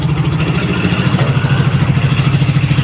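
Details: Yamaha Nmax after starter one-way clutch replacement, fully reassembled: low, even putter at steady idle with regular firing pulses and nothing rattling; healthy idle.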